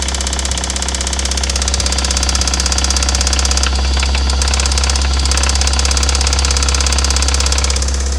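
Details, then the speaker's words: 1988 Toyota MR2 AW11 at idle after fuel pump relay issues: rough idle with a steady knock around three per second over the engine hum; internal ticking/knocking, cause unclear. "Yeah, that sounds pretty bad."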